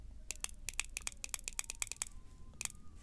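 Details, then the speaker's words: BMW VANOS solenoid, after repairing a solder joint (earlier causing rough idle, power loss, shaking): crisp clean clicks as each solenoid is energised, all now operating normally. "so now all the sides seems to be operational so the joints repaired"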